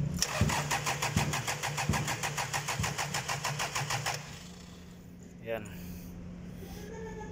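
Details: 2005 Toyota 1-ton forklift engine: starter cranks steadily at about three turns a second for four seconds, the engine never catches, then cranking stops; hard starting.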